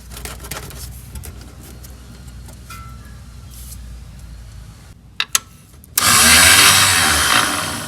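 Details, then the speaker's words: Rusty 1976 Porsche 914, starter terminals jumped directly: a few quiet clicks, then a loud high whirring spin with no engine cranking. The starter free-spins without engaging, likely corroded inside; it is being removed. "Oof. That doesn't sound good. Well, it sounds like it's moving. But it's not engaging."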